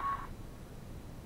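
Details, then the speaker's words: Heathkit SW7800 shortwave receiver, repaired (bad RF choke replaced, power supply regulator added): brief sharp squawk about a fifth of a second at switch-off, then faint hum; owner believes it is a harmless characteristic of this radio, cause unclear. "I don't think it's really going to hurt anything but I think it's a characteristic for this particular rig or radio and when you turn it off it squawks like that"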